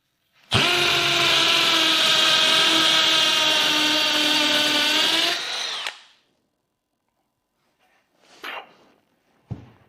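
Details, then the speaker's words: Cordless drill switched to hammer function, drilling a bit: steady high motor whine with fast buzzing hammer rattle for about five seconds, the internal hammer pounding as it drills, noticeably faster than regular mode; normal hammer drilling. "E você notou como quando eu usei a função de martelo, você ouviu além do som normal da furadeira? Esse é o som do martelo lá dentro. Quero dizer, martelo. Isso está apenas batendo e empurrando enquanto estamos furando."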